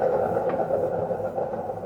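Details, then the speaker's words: Front-load drum washing machine, disassembled, drum turned by hand: rough, droning rumble with a gritty edge from faulty drum bearings, unlike the smooth spin of an identical normal unit; bearings replaced using a jig. "지금 이렇게 통을 돌려 봤을 때 굉장히 거슬리는 소리가 많이 나는데 이런 증상들이 대부분 베어링의 이상이 있는 경우에 나타나는 증상들입니다."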